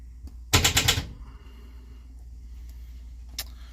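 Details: Project car after sitting for weeks, first start attempt: half-second burst of fast sharp clicks, then silence, with no cranking or firing; the starter is clicking instead of turning the engine.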